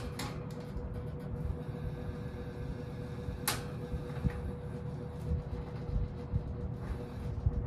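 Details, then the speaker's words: 1968 General Electric W-22 three-speed box fan on low speed, motor needing re-varnishing: steady low drone with humming tone and faint buzzing resonance; unknown part resonating, cause unidentified; resonating noise. "I don't know what's resonating no idea what's causing that sound"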